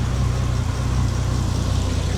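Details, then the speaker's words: Bentley restarted right after an engine-bay fire needing an extinguisher; owner suspects a cause linked to filling the brake fluid. Work also covers a cylinder 10 injector and MAF swap. Steady low idle with occasional uneven pulses: slight misfire at idle. "Car sounds fine. It does misfire a little bit and behaves, but it just set on fire."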